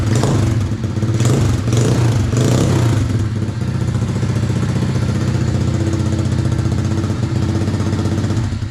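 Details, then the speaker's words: RFZ 125cc dirt bike with swapped motor and replaced carb (old choke stuck, hard starting), first kick start with choke on: a few throttle blips, then a steady, even single-cylinder putter without hesitation or popping; running well. "Oh, that sound good."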